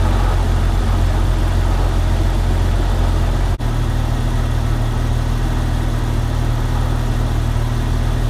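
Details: 1998 Jeep Wrangler TJ idling with its restored AC system recharged with PAG oil and refrigerant, leaks fixed: smooth, steady low hum with the compressor running evenly, no knock or squeal; vents blowing 45°, normal compressor operation.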